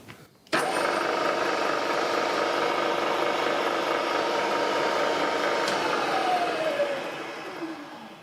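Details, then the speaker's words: Vertical milling machine after a fix for a squeak, with pulley, shaft and bearing reassembled: steady running hum with some light mechanical rattle from a worn machine, the scraping squeak now gone, then a smooth spin-down. "Obviously there's still quite a bit of mechanical noise there. I mean, the machine has done quite a bit of work now, but the annoying scraping sound that was irritating me has gone."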